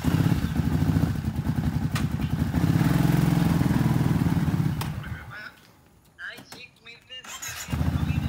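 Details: 2010 Kawasaki Brute Force 750 twin after the previously dead cylinder was made to fire: strong, even low thump from both cylinders for the first few seconds, then a brief drop-off; running clean, noticeably stronger.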